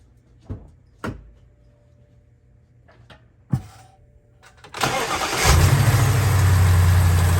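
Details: BMW X5 E70 after removing the drive belt: a few clicks, then the engine starts and settles into a steady, even idle with no front-engine rattle, confirming the noise came from the water pump's worn bearing, which has play on its pulley.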